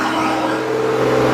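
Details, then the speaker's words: Car's cold start after a long winter, battery and IAC valve replaced, vacuum hose refitted: steady high drone at about 3,000 rpm that stays up roughly five minutes before dropping to a normal idle; cause not yet found. "But it starts up at 3,000 here, then it tones down. When it goes down, it's totally fine."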